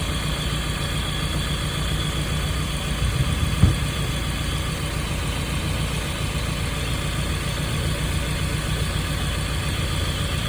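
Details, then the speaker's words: 1995 Nissan truck 2.4L after Tribo-MAX treatment for lifter noise: steady even low idle, no top-end ticking or knocking, smooth quiet hum; lifter noise gone. "well you have pistons in there so that's good that's really cool right now it's really quiet now that's cool that's definitely different than all the rest of them"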